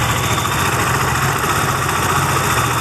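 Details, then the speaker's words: Benelli TNT25 250cc at idle: a steady, thin bee-like buzz over the engine, heard more on the camshaft side. The source is unidentified; three mechanics failed to find it. "Ah pero el ruido en sí es ese que hace como una abejita como una yo lo escucho más de este lado en la zona de los árboles del leva"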